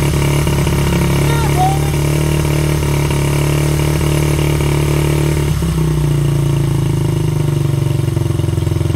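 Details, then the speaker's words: 1985 Honda XR80R, not run for a long time, started with a drill and a squirt of fuel, possibly flooded: small single fires up and settles into a steady, slightly uneven idle with a low thumping beat; runs after storage. "wow woo will it run yes it will"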